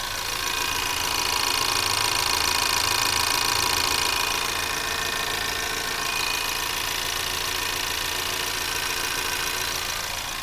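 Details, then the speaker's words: 2024 Ford Maverick XL AWD 2.0L EcoBoost, warm, at slower idle, mic near the alternator and high-pressure fuel pump. Crisp, even metallic ticking about four per second: the normal direct-injection fuel pump. "so again these are all normal sounds of an ecoboost engine EcoBoost got to love it"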